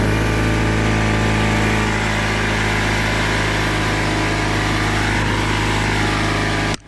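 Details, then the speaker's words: Craftsman oilless air compressor after a new drain valve was fitted: a steady, even motor drone holds one pitch, then switches off cleanly, with the tank up to 40 psi; normal running. "okay so that's up to 40 psi inside the tank"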